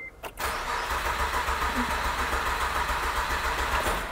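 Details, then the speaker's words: 2008 Acura TL, J32 V6 that died on the highway, cranked on a jump box with weak battery: starter churns at three to four beats a second, never fires; crankshaft position sensor malfunction code confirmed, camshaft sensor code also set. "well it's not cranking like it used to and if i'm going to throw my guess into the ring i'm going to say it's probably that crank sensor"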